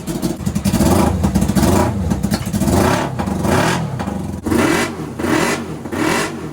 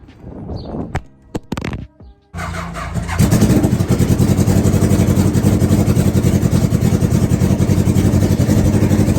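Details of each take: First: NasKart after misfire diagnosis and fix, started on key with fuel pump on: small multi-cylinder engine revs up and down several times, climbing smoothly with no popping or misfire; runs clean and much smoother. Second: NasKart engine with an old battery and a tested-good alternator, running and idling after the fuel was turned on, then an uneven popping stumble with pulses dropping out: the misfire.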